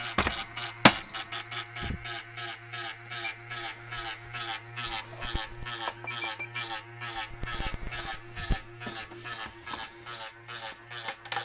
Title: Xbox 360 buzzing sound 2013